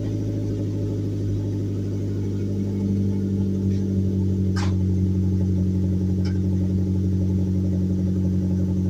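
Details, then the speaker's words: Mazdaspeed Protege turbo cold start with no muffler, essentially straight pipe from the downpipe, after plugging a long-standing exhaust leak: steady deep idle drone with even low pulse and no ticking or puffing leak noise. "definitely not hearing it from up front anymore that's great man I love how this thing sounds got no muffler on it so that's pretty much straight pipe from the dumped under the car"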